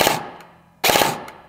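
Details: Airsoft Specna Arms Edge 2.0 AEG with pre-installed Gate Aster MOSFET, test-fired after programming: two trigger pulls each give a tight, even three-round burst, then stop cleanly; burst mode cycling as set.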